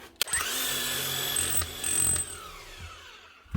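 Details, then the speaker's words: Demolition hammer, front end not stripped: after WD-40 on the front and a few light taps, a short motor buzz with rapid light rattling that starts and stops cleanly; the hammer mechanism cycles freely and hammers normally again. "and she's hammering again. Quick and easy fix."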